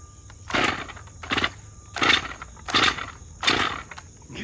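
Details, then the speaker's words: Stihl MS 201 TC chainsaw whose chain brake wouldn't engage, test run: regular heavy surges, roughly eighty a minute, with a rough knocking edge; clunking while running, clutch-side bearing suspected but unconfirmed. "let's listen to this clunking and then we'll take it inside and see if it really is that"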